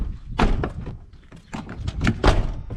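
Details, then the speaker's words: 1995 Chevrolet Silverado door after replacing the door latch and handle; soft, solid thunks as the door shuts, catching cleanly with no rattle, locking securely even with a light push. "man did you just hear how quiet I did that look and it's locked you like I'm pulling on it it's not coming out"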